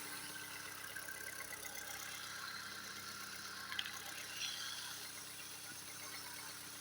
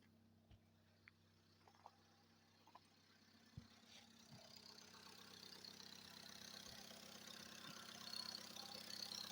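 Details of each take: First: Recently repaired engine at cold idle, very quiet and even with just a faint steady hum and no knocking or tapping (a knock appears later once hot): normal cold idle. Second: Engine recorded at exhaust and in cabin after repair, quiet with no knocks when cold: as it warms and is revved, scattered sharp ticks thicken into rough rising clatter with vibrations, pressure high, no check light; cause not yet found.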